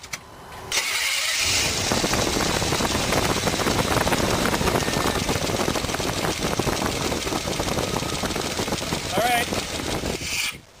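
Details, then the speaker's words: 1993 Chevy C1500 4.3L V6 with roller lifters, misfiring: it cranks, catches and idles with a busy, uneven ticking clatter. Valve tick comes from worn rockers, old-style rockers fitted to a new-style head that wore unevenly. "They put old style rockers on a new style head, and so it's worn unevenly here. It's worn out and it's starting to tick and make all sorts of noise."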